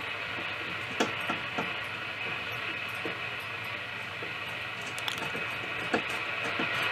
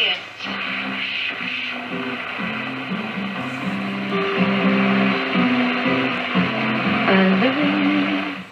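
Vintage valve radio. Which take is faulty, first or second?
first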